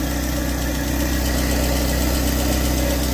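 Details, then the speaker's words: Early-2000s Opel Corsa 1.4 at idle, in for a head gasket leak: uneven knocking and rattling from the front accessory belt area; water pump, tensioner or alternator bearings suspected, not yet diagnosed. "there's a funny noise here on the on the VB belt. Uh, might be a water pump or a tensioner, alternator bearings or something."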